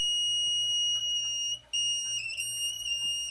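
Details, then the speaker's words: Running toilet that fills on and off or nonstop: steady high-pitched whistle of nearly constant pitch with brief dips as the tank refills; fill valve whistling, fixed by replacing flapper and Fluidmaster 400A fill valve. "Whether it happens randomly, on and off, or your toilet keeps on running all the time, and sometimes you may hear some strange sounds, noises, whistling like"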